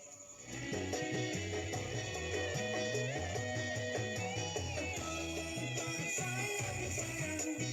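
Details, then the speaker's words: Active speaker with 8-inch driver after repair (139/140 transistors replaced with DP 4142, burnt 330 ohm resistor and cracked final transistors replaced, rails about ±20 V DC): music full and clean, no hum, crackle or distortion; sound normal. "Alhamdulillah suaranya normal ya Alhamdulillah caranya normal"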